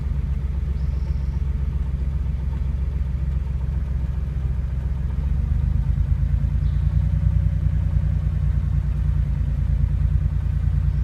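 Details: Porsche 911 flat-six idling with rough, uneven tapping under the rumble that picks up with revs; a knock of unknown origin.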